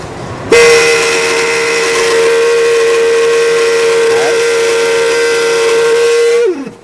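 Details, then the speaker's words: 2002 Buick Century, blower motor under the passenger-side dash: loud steady high whistle near 480 Hz. Customer suspected leaves or debris, but the failing motor is being replaced with a new one. "As you can hear, that's pretty noisy, so I'm going to show you how to replace the blower motor with a new one."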